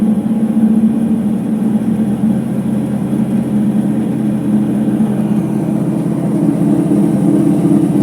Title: Ipso HF 65 commercial washer final spin with bad bearings